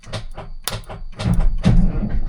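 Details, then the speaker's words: 1978 Kenworth K100 cabover that sat for many years, cranked on a strong jump pack: sluggish, uneven cranking with only a few laboured turns and no firing. Starter drags on weak batteries, so bigger batteries are needed. "Oh, it didn't sound great, though. Okay. All right. It's turning over barely. We got to get some bigger batteries."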